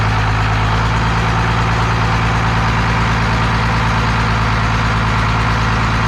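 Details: 12-valve Cummins diesel on an engine stand out of the truck, first run after a rebuild for glazed cylinders (very low mileage, cause unknown; deglazed). Deep, even idle with a steady low rumble and no knocks or misses; sounds healthy.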